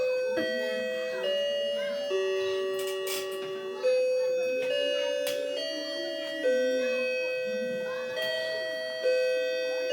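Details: New grandfather clock striking clear bell tones about every two seconds, each ringing and fading evenly; the clock chimes properly.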